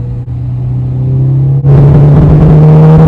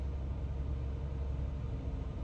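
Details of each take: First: Jeep Wrangler with a misfire traced to the cylinder three coil pack, confirmed when the misfire moved with the swapped coil, check engine light flashing: a deep idle turns choppy into a machine-gun-like stutter with revs. Recorded before coil replacement. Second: Jeep with a manual, just after replacing a part to fix a misfire and check engine light, warming up before a test drive: low steady rumble with an even beat, no stumbles or skips; a smooth, normal idle.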